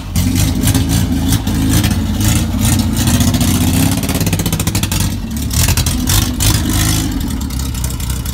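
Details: Banham Superbug kit car, 4-cylinder (firing order 1-3-4-2), first start on a fresh battery with no exhaust fitted: loud, raw crackling bark on every firing pulse as revs rise and fall, like an old Spitfire.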